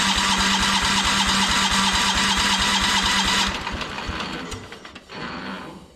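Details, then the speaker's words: Kohler 14 HP single on a Minneapolis Moline 114 Hydro garden tractor, cover removed to rule out contact: steady sharp top-end knock about three per second while running, gone at shutdown; owner thinks the engine is worn. "so that confirms you can hear it kind of knocking up here in the top end so just wanted to make sure that it wasn't something hitting that cover because I have heard that cover make some bad noises before but I think this engines just were"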